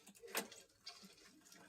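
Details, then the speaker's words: Bicycle front derailleur gear change checked during an M-check safety inspection: two crisp single clicks about 1.5 s apart in a quiet room, no grinding or chatter; derailleur moving well, normal clean shifting. "Anyway, the main thing to do is make sure the derailleur is moving well and the gear change itself is going well."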